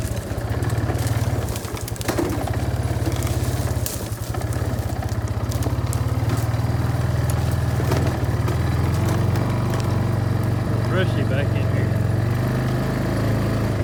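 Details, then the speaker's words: Barn-find Kawasaki Bayou 220 ATV on test drive after repairs (filthy carburetor cleaned, rear right wheel bearing and seal): deep steady single-cylinder thump, even beat throughout the ride, no knocks or rattles; running really good, no issues. "okay well this thing seems to be running really good no issues that I can tell"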